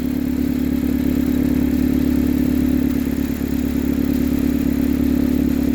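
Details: 2007 Saturn Ion after a starter replacement, idling right after restart with the battery recently disconnected; steady idle with a slightly uneven beat that stumbles now and then and recovers, an intermittent misfire.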